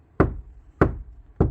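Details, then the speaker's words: Kia Sportage NQ5 facelift door after small-piece wood damping: three dull knocks about 0.6 s apart die away quickly with no ringing; the earlier cavity echo is removed. "그 공간 구조의 특징을 지금 업 음악적으로는 듣기 싫으니까 그걸 없애 버리고 지금 현재이 재료를 응용해서"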